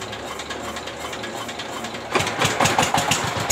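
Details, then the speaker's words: Single-cylinder S-1100 16 HP diesel for well drilling, test run after service and reassembly for surging, poor throttle response and stalling. Quiet thumping, then a firm, strong, steady beat. It now runs stable and powerful: normal running. "Oke, teman-teman Diesel, sekarang sudah memasuki tahap pengujian dan suaranya sudah mulai stabil dan bertenaga."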